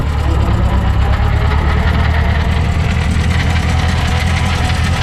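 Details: 1964 Triumph TR4 after gearbox and overdrive rebuild, flywheel-side plate refitted correctly after bolts rubbed: deep steady idle, even beat, no clatter from the bellhousing; engine and gearbox normal.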